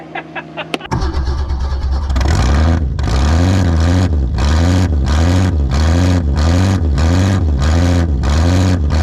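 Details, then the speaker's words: 1961 Ford Falcon wagon with dealer-installed AC, parked in the woods 38 years with a stuck engine and no oil, first revival: cranks, catches and revs in regular blips, clean and even; good oil pressure, runs healthy. "that's great it was off came back on as soon as it started this thing's got good old pressure yeah"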